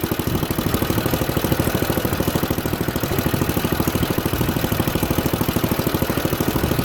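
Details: Junkyard Ditch Witch C99 trencher, old, year unknown: quick, fairly steady thumping around two and a half beats a second with a rough edge as the drive and chain take load; engine pulls the load fine.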